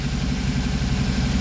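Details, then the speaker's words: Westerbeke 33 marine diesel on a sailboat after hydrolock recovery: even low idle throb, no knocking or stumbling, running smoothly; temperature okay, voltmeter reads about 14.5 V so owner suspects overcharging, and the RPM meter displays wrong. "But so far, I'm happy that the engine started right away."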